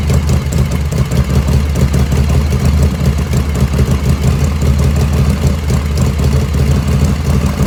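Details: 1985 Harley FXRS Evo just restarted after reassembly, idle jet set close: even, steady low thump at idle with no misses or stumbles; normal idle.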